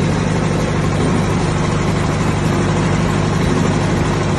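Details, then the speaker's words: 1959 Massey Ferguson 85 tractor, first start in 5 years after new points, cleaned carburetor and new solenoid: deep, steady idle with an even low rumble, no misses or knocks; normal idle. "Ferguson, 85. Just started up in 5 years."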